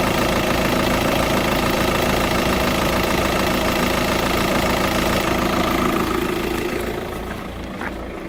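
Diesel idles with a steady fast tick, about three or four a second, riding over the clatter; source of the tick unclear.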